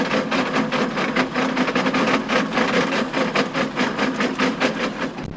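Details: John Deere tractor power harrowing in very wet, stony ground: irregular loud clacks and bangs, roughly two or three a second, over the running harrow as stones strike the tines.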